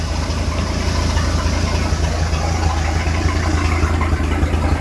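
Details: Repaired port engine of a one-of-a-kind speed boat, just started with water on: steady, even low rumble at settled idle, no misses, knocks or grinding; runs fine; raw water hose found leaking; normal idle.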